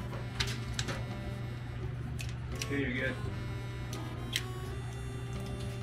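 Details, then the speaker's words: 1930 Ford Model A sedan, never yet run after rewiring, with the starter jumpered: it spins the engine at a steady, even beat with no firing or catch, so it cranks but will not start. "there you go [Music] spinning but it's not catching"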